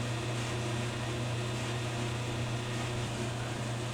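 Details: GE DWSR483EB1WW dryer tested after reassembly, following a heating-element replacement for low heat: a smooth, even low hum from the drum and motor with no scraping, squeal or thumping. Normal running, and the element is glowing.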